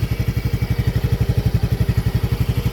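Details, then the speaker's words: Yamaha Gear 125 scooter after 3 years of use: smooth idle with smooth vibration and smooth CVT, no rattling; an even steady putter of about eleven pulses a second, no knocks. Normal idle. "ya, suara mesinnya enak sekali, getarannya juga halus, CVT-nya halus, nggak ada geredek ya."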